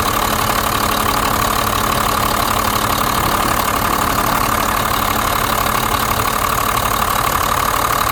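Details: 1991 Blue Bird bus, 5.9 2-valve diesel, after replacing fuel lines and bleeding air from lift pump and injector lines: settles into steady even idle, regular clatter about four per second, no stumbles; running normally.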